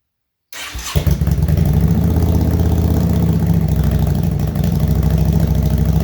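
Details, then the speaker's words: 2005 Yamaha V-Star 650, first start with tank back on, cold on choke: brief crank, catches quickly and settles into an even, deep V-twin idle with steady firing; sounds healthy, left to warm before a ride. "all right well we'll let that warm up for a minute or two and then take that for a quick little ride at least"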